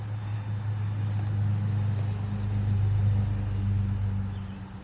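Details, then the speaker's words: 1999 Lexus GS 300 after brake booster master cylinder assembly replacement for a cabin buzz and no-brakes fault. Pump programming at key on after 40 brake pumps; the pump should cycle up to 40 seconds. A steady low electric hum swells slightly midway. Normal ABS pump run. "I don't want it to run dry as it pumps. Now they said the fluid level should come back up a little bit, but I'm gonna bleed the brakes."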